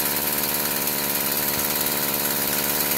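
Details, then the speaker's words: Stihl FS46 string trimmer that bogs and won't rev; owner thought it needed a carb adjustment. The small two-stroke runs labored and flat, never picking up revs; the spark arrestor and muffler are plugged with carbon. "okay what I've done is I've loosened the spark arrestor up I've not taken it out yet but what I suspect to find is the spark arrestor is gonna be plugged up"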